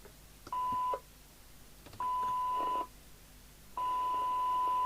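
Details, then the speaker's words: Commtron CB40F CB27/81 UK FM CB radio (Maxon built, December 1981) after re-alignment, squelch tested with a signal generator: three clean bursts of hiss with a steady test tone, opening properly at threshold, slightly harsh at top end; normal squelch. "so squal works fine it's just at the top end a little harsher than I would like but that's how it is"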